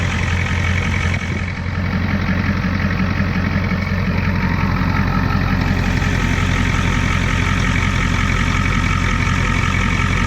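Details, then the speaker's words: 1989 Ford F250 7.3 IDI diesel after replacing fuel filter, supply and return lines and tightening the fuel supply, first start from the cab: steady even diesel clatter at idle, no stumbles or misses; sounds much better. "oh yeah that sounds a lot better a lot better"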